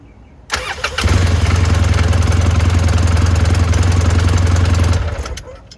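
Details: 2012 Polaris RZR 800 S that had no spark and would not start, after replacing the ignition switch: short crank, engine catches at once and holds a steady, even idle for several seconds before shutoff, all healthy.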